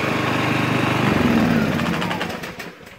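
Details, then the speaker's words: Ryobi RYi2200 inverter generator, about a week old, on eco idle in a garage: even, steady low-rev hum with no misses or knocks, fading away; normal eco idle, which the owner finds a little louder than a Honda. "compared to a Honda I would say it is a little bit louder"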